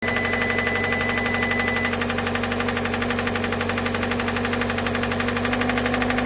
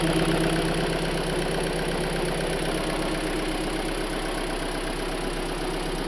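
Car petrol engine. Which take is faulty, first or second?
first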